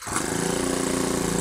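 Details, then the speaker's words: Honda GX25 sprayer pump engine with a starting problem from lost compression, blamed on infrequent oil changes. Coconut oil was put into the engine, then choke and primer used. It now catches and runs with a steady, even high-pitched buzz; compression is back and the oil burns off as smoke. "Already compulsion వచ్చేసింది engine start అయింది"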